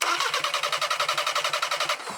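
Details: VW Passat TDI replacement engine, out of the car and upside down during rebuild, with the donor engine's balance shaft and oil pump assembly fitted, spun on the starter to build oil pressure; even cranking at about eight compressions a second, no knock or clunk. Normal cranking.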